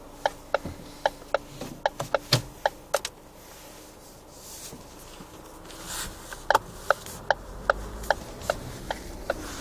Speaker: Итак Ford Focus 3 пробег почти 133.000 км слушаем стуки в рулевом управлении рейка ГУР поворот направо и плохая не чищенная дорога